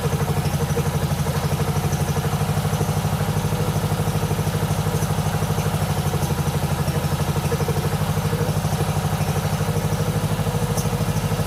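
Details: 1997 Mastercraft (MTD) 38" lawn tractor, 12.5hp Briggs & Stratton single, parked outside for years, fed from a hose fuel reservoir while low on oil: thump about three beats a second, even and steady with choke on; idling cleanly.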